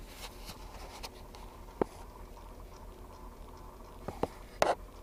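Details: 2008 Ford F150: sharp, uneven intermittent clicks from behind the dash cluster area, about three in five seconds, in a quiet cab; first thought a mouse in the steering column, online research suggests A/C heat actuator, not confirmed.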